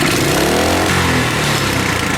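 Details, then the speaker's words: Coleman KT196 go-kart small engine with governor removed, idle raised: revs climb quickly to a high strained scream and keep winding up; ungoverned over-revving. "that's how much better revs like crazy"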